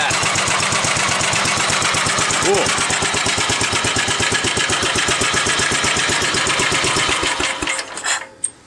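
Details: 1945 Gravely Model L, single-cylinder, warm after its first startup with gently used oil and bled oil lines, no smoke. Steady, even thump about three per second, then a clean cutoff. Normal running.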